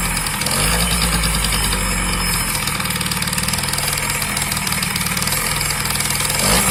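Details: Yamaha BWS 50 (2JA) scooter engine that suddenly started knocking; fast uneven tapping about four per second over the idle buzz: engine knock, source unknown.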